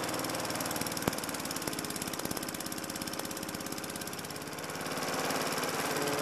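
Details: Lawn mower converted from petrol to LPG/propane, gas line to the carburettor inlet, primer bulb sealed: a steady, quick single-cylinder beat, even and unbroken with no misses; running smoothly, normal running.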